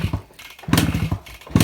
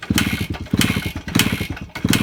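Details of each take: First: 2001 Suzuki Samurai two-stroke motorcycle, cold start after about two years unused, being kicked: short ragged popping bursts that die away without catching; no-start blamed on dirt collected in the carburettor bowl. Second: 2001 Suzuki Samurai two-stroke bike, cold start, run on petrol premixed with oil because the oil tank isn't working, plugs checked OK: after long kicking it runs in uneven bursts, catching and dying back before settling into a steady crackling run.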